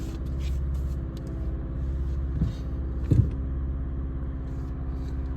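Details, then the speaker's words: 2015–2016 Mazda 3 with blinking check engine light, at operating temperature during key-on-engine-running test: uneven idle beat with stumbling thumps; misfire moved from cylinder 2 to cylinder 4 after swapping coils, faulty ignition coil. "right yes so that mean we have a mire on the cylinder now in the cylinder number four and before wasn't the cylinder number two and I switch the ignition coils so the problem with this car is only the ignition coils"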